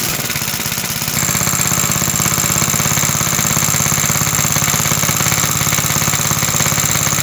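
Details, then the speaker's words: About 66-year-old 1960s English Suffolk single-cylinder engine, first start after carb clean and new plug wire, very high compression, choke used: loud chuffing beat with dry metallic rattle on every stroke; owner places rattle in the starting mechanism, oil is in. "There is just a rattle somewhere. It is in the starting mechanism and I know there is oil in."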